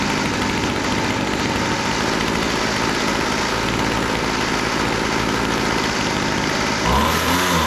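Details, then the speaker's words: Weed Eater GHT22 two-stroke hedge trimmer, unused for a long time, after carburetor adjustment (high-speed needle had been too lean, low-speed too rich, idle set too low): now buzzes at a steady, even idle without surging. "highs speed needle was a little too lean and the low speed needle was a little too rich so it didn't want to idle but it seems to be idling n"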